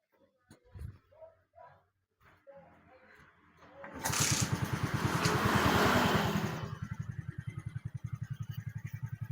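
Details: Suzuki motorcycle after fitting an original regulator/rectifier: engine catches with a short rev, then settles into an even, steady idle of about three beats a second; runs normally.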